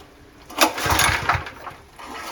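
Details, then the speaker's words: Honda GX160 engine on a plate compactor, cheap copy carburetor fitted, run on easy-start spray: short burst of running with rough, clacky rapid knocking before dying; internal knock, cause not yet found. "and then I noticed when you pull it over it makes a terrible noise let's see if I can get to make the noise now hear that clacky knocking"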